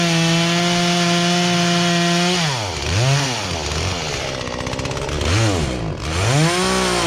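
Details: Poulan Pro chainsaw that sat unused in a barn for three years and never ran right, after low and high carburetor adjustment with a tool kit: high steady scream, pitch dips and recovers with each cut, clean pickup; normal running under load.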